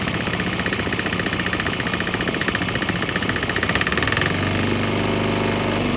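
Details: Swan X 165F Chinese single-cylinder diesel running on straight used canola (fryer) oil; steady thump with usual diesel clatter, running evenly; normal running.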